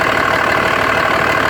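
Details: 2004.5 Dodge Ram 2500 Cummins diesel at idle with loud clatter and a slightly uneven, lumpy beat; the owner reports excessive vapor from the oil fill cap, suspects blow-by and asks whether it is normal: rough idle.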